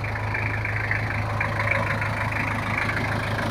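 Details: Toyota Kijang LGX 2.5 diesel after valve adjustment and service for rough noise and oil leaks: steady, even low rumble at idle with no knocks or misses; smooth normal idle, no longer rough.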